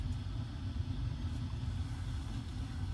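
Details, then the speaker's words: Floor furnace whose gas control was partly submerged in water, set to pilot with no thermostat or limit wires connected: a steady low roar of burners lighting and running because the gas valve is stuck open. "we're gonna turn it on and the gas valve is still stuck open you'll be able to hear the burners light when I turn it I'll be quiet the burners are left"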